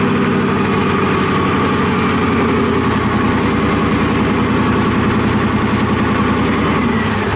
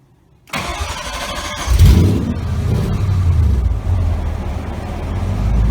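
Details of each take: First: Cobra kit car engine with Holley idle control, first start; engine catches but the idle hunts and sags instead of holding steady, idle control loop not regulating, traced to several setup issues including conflicting documentation. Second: Cobra project car engine after idle control problems on first start were resolved; starter catches within a second, revs briefly, then settles into a steady, even low idle with no misses or knocks.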